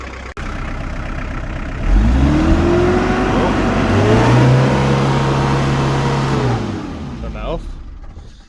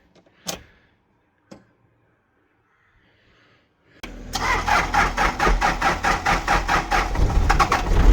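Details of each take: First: Daihatsu Rocky Fourtrak diesel, barn-stored about five years, preheated before starting: starts easily, then suddenly surges to high revs and holds them untouched for several seconds before dropping back; throttle cable suspected sticking open. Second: Daihatsu Rocky Fourtrack diesel, barn-stored about 5 years, first cold start after battery fit and preheating twice: a couple of clicks, then it catches at once into a regular, slightly lumpy clatter; normal cold start.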